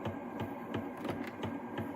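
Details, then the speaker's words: 1978 Fisher-Price record player after cleaning old grease and applying synthetic grease: a light scraping tick about every third of a second with each platter turn over motor hum. The owner suspects the platter is hitting something, maybe a misplaced cord. "like I might be hitting something in there maybe I got the cord in the wrong spot or something"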